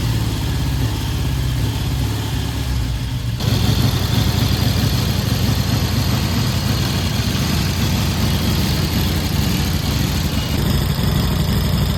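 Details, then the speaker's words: 1967 Triumph T100C twin, first start in about 30 years after new fluids and carb cleaning, started within about four kicks: deep lumpy idle rising into a few revs and settling, nothing knocking; healthy running. "Woo! That was the second kick. Headlights on too. Oh man, did you hear that? What was that, 4? I think 4 kicks. I don't think this bike's been started in about 30 years."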